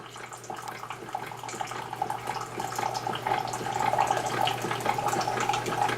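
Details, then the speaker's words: Keurig 2.0 coffee maker dispensing a 4-ounce cup of plain hot water with no pod or filter fitted: water trickles steadily over a low, even pump hum with no knocking or sputter; a normal hot water dispense. "so what I'm going to do is going to do a four just because we're just going to dump some hot water"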